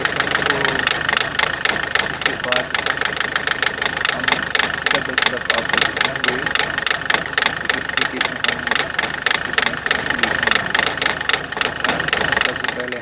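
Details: Ford Figo 1.4 TDCi diesel idling with engine noise and vibration: rapid, fairly steady clatter about 220 per minute over a rough idle; diesel knock traced to a faulty injector, fixed by injector replacement.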